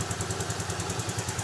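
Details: Yamaha Freego scooter after a smart-key ignition that wouldn't turn was fixed by repairing the existing SCU (no new parts): even, steady idle with soft regular pulses about ten per second, no knocks or rattles; healthy engine.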